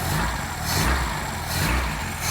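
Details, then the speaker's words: 1980s Vauxhall hot hatch barn find idling smoothly with a couple of gentle revs that rise and fall cleanly, no misses or knocks; exhaust sound, no holes, engine healthy. "That's really nice. >> It's sweeter than that, isn't it? >> Exhaust has not got holes in it."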